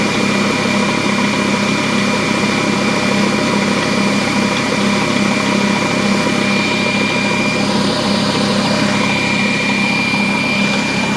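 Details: DeWalt D55146 oil-free air compressor that makes loud noises and won't build pressure, just switched on: loud harsh rattling drone with a high whine that never settles; something is wrong inside the motor assembly, cause not confirmed.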